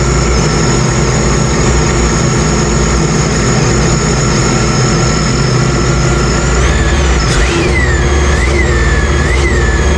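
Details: Sea-Doo RXP-X 300 jet ski after supercharger removal and reinstall: steady running with high supercharger whine sweeping cleanly up and down on throttle blips, no leaks seen; normal running.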